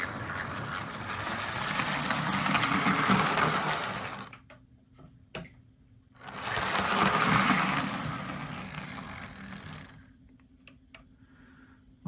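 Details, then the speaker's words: Arbour Models kit steam locomotive chassis under construction, motor held by a brass band, test run forward and reverse: small motor whirs with a gritty, rattling edge, an unexplained noise in an otherwise very smooth runner. "now aside from that noise this is actually turning out to be a very smooth Runner"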